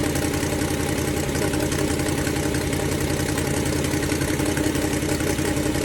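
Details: Ford Falcon 289 V8 idling during a cooling-system flush for rust-caused overheating: rough fast puffing tick, steady and even, over a loud idle; owner calls it an exhaust leak that appeared while the car sat, to be fixed tomorrow.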